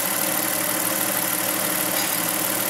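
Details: Car converted to dual-fuel CNG/gasoline, microphone near changeover switch in engine bay: steady even idle after switching from natural gas back to gasoline, no knocks, misses or surges; running normally.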